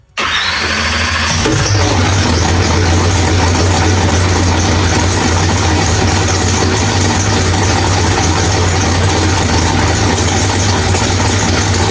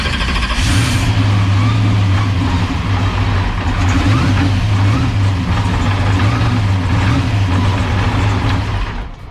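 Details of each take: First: Drag car V8 with Powerglide, first start after fixing flex plate bolts that backed out: new ATI flex plate and Circle D stator fitted. It cranks, catches within a second and settles into a steady, even idle with no rattle: normal idle. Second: Drag car V8 with Powerglide, heard on in-car camera at cranking before a pass: loud lumpy idle with an uneven metallic rattle; ARP flex plate bolts had backed out, fixed with new ATI flex plate.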